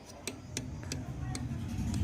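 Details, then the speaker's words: Divine room heater under repair, fan not balanced and fitted slightly too low, needing to be raised and tightened: sharp regular "cut cut" ticks about three per second over a low motor hum as the fan spins up; fan blade ticking from misalignment. "तो दोस्तों आपको दिखा दूं मैं, आपको cut cut की आवाज़ सुनाई दे रही होगी।"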